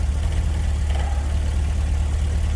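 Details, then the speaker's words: GMC with 6.0-litre V8 and electronic throttle body, previously repaired wiring harness, going into limp mode with throttle position correlation codes: steady low idle with fast faint rattle; throttle body rattle. "anyway it's been fine for however long you hear that rattle noise it's been fine for a while now and all of a sudden it started doing it again it would go into like a limp mode"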